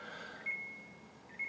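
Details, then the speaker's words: Samsung RB29FWRNDSS fridge freezer, newly delivered and switched on: two high electronic beeps then a soft thud as the door shuts; door-left-open alarm. "Oh, it's beeping. That's because that's the sound it makes when you've left the door open."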